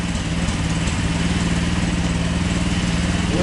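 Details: GY6 150cc engine in a quad, first start: steady putt-putt idle from the small single cylinder, even beat with a faint mechanical rattle on top; normal idle.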